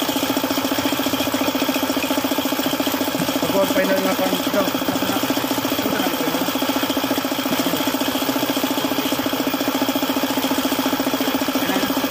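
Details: Suzuki F6A engine whose oil pump has stopped working: steady idle with a hard, regular knock about three to four per second, bottom-end knocking from oil starvation.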